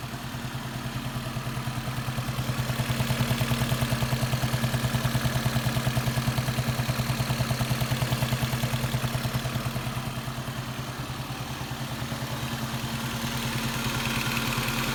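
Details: Lexus IS300 2nd gen petrol engine idling with a steady low hum and a regular clunk, about two to three a second, worsening over a month; owner fears rod knock, cause unknown.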